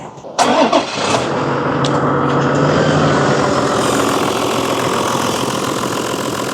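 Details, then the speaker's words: 2003 Toyota Land Cruiser Amazon 100 series with screaming air-con compressor, suspected clutch; engine run with compressor belt removed: quick start, smooth steady idle, no screech. Noise likely only when compressor clutch engages. "Everything feels absolutely fine, so I can only assume it's something that happens once the clutch engages for the aircon compressor."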